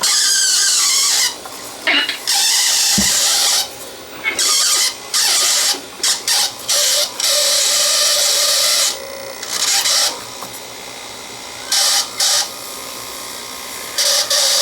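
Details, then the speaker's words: 1965 Sony CV2000 (GE-badged) reel-to-reel video recorder playing a 1960s home-video tape: sharp high-pitched squeals in uneven bursts as tape drags over guides; sticky-shed tape sticking, owner unsure if baking would help. "See what I mean? Sticky shed. It's sticking to this tape guide here. Right there. Actually, it's sticking everywhere."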